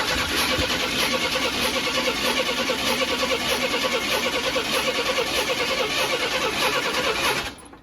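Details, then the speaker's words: Abandoned 1991 Chevrolet S10 Blazer, said to need only a fuel pump: an uneven, labouring crank with a ragged beat about three per second and popping, backfiring through the throttle body, never catching. Sounds like low compression; skipped timing suspected. "It was cranking weird. It sounded weird. It sounded like it almost had no compression or something. And it was backfiring through the throttle body, so we thought maybe for a second that it had like skip timing or something."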